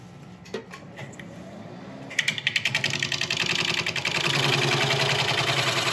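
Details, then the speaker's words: McNaughton coring system used for the first time on a large natural-edge elm bowl on the lathe: rough, rapid rattling chatter builds as the cutter is forced in and binds, from admittedly wrong technique. "right I know this sounds awful but I'm determined to get this through"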